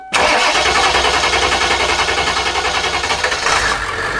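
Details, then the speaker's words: Bus with a freshly installed remanufactured diesel engine, air filter box and front bumper off: engine catches right away and settles into an even, steady clatter with no misses or knocks, no dash warning lights; normal healthy start. "so right there as you can hear the engine is running there are no lights on on the dash no lights on on the dash that's good"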